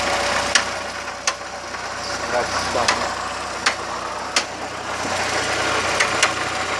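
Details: VW Gol "bola" 1.0 idling: sharp irregular clicks about every second over a quiet idle; recently started tick, cause unidentified.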